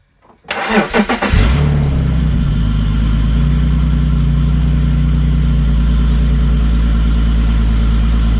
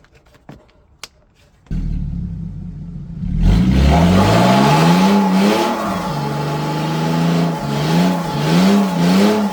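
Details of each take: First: BMW E46 330ci, abandoned six years, after reconnecting a broken-off tube: short crank, clean catch, then a smooth, even idle with no hunting; rough idle and stalling fixed. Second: BMW E46 330ci abandoned over 6 years, revved: quiet then loud raspy exhaust rising and falling with throttle blips; catalytic converters missing.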